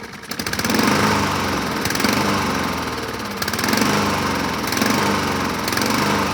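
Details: 2007 Honda HRR2162SDA Quadra Cut mower after fixing stuck-open intake valve, started on choke: speed swells and sags about every 1.5 seconds; surging, owner may clean carburetor again after water found in fuel tank.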